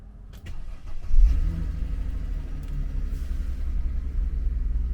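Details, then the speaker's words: 2007 Mercedes CLK 350 Sport Convertible, 3.5-litre V6, after its battery fully discharged in UK cold weather: a short crank catches at once on the key with a quick flare, then settles into an even, low, steady idle. Normal start and idle. "Well, I'm pretty happy with that. She's just started up on the key there."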